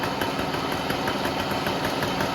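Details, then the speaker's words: Small two-stroke moped running after a transmission rebuild with new chain-drive parts: a steady, light, even mechanical patter from the fresh parts still wearing in. The chain still needs slight tensioning. Normal running, nothing alarming. "Par contre, au niveau bruit, ça va bien. Alors bien sûr, ça fait du bruit parce que c'est neuf, il faut que ça s'appaire."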